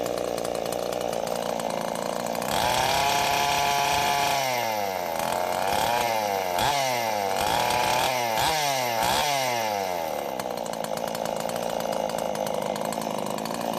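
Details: Husqvarna two-stroke chainsaw after an oiler mod with a new oil pump, idling while the oil flow is checked: a steady buzzing idle, a few quick revs that climb and fall cleanly, then it settles back smooth, running healthy.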